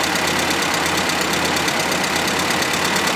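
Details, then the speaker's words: 1980 Austin Princess petrol engine idling evenly after setting the valve shims: much quieter than before, but a light, regular tick about six per second remains from one noisy tappet. "Now, it's not perfect by any means. You can still hear that one noisy tapet, unfortunately."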